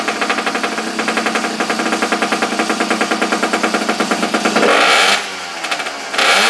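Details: Abandoned small engine, choke on, after regapping the plug for weak spark: quick even firing beats settle into a steady run, then revs up cleanly; running healthy.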